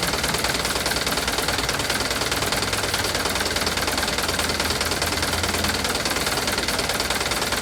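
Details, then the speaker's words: Mitsubishi Canter diesel truck at idle: a light, fairly regular tick about two a second over a smooth idle; probably valve clearance, not confirmed; the tick reportedly changes when revved slightly. "suara klep, kayaknya ini suara klep ya, tik klep. Sebenarnya halus sih, lumayan halus ya"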